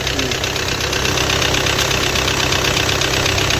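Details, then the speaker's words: Audi Q3 2.0 TDI diesel at idle with a crankshaft position sensor code P0016: hard, steady metallic knock about two to three times per second; the camshaft plate has slipped out of place and the timing parts need replacing. "अपने cam plate इसका replace करना पड़ेगा कमप plate जो है ना इसका out हो गया है तो चलेगा नहीं काफी नॉकिंग करेगा यह"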